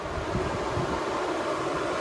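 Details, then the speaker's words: 1970 Chevy Nova big-block V8, parked after a road test following a water outlet gasket repair, not overheating; electric cooling fans left running on a manual toggle to prevent heat soak, with a steady even air rush and no ticking or rubbing, normal fan operation. "that's why the fans are on it's not overheating I just like to make sure it gets cooled down when I shut it down so it doesn't heat soak"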